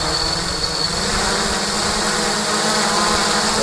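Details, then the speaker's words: Quadcopter, Sunnysky V2814-9 870kv motors, Turnigy Plush 30A ESCs on BLHeli, Cleanflight on Sparky FC, at about 50% throttle: high motor whine wavering in pitch with visible vibration; revs fluctuate because too-soft anti-vibration foam lets the flight controller vibrate. "about 50% throttle but you can hear fluctuation see quite bad vibration on the motors as well"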